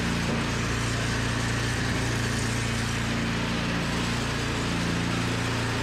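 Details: Toro 521 snowblower running after replacing a blown drive belt with a tight, well-fitting new one. Small engine holds a steady, even putter, no squeal or slap from the belt drive; works normally.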